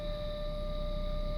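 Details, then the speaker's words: 2005 Volvo S80 petrol engine at smooth idle and revving: steady high whine over the engine rumble, pitch changes little and lowers slightly as rpm rises rather than tracking it. "should be able to still hear the whining now when I rev it you're gonna hear the pitch change a little bit but it stays pretty much the same it doesn't like coincide with rpm"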